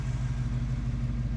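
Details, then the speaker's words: 1974 AMC Javelin, original engine without cams, idling at night with lights on: low, smooth, even idle with steady beat, no ticks or misses; owner calls it perfect, like a sewing machine. "Listen to that. Just perfect. It's like a damn sewing machine."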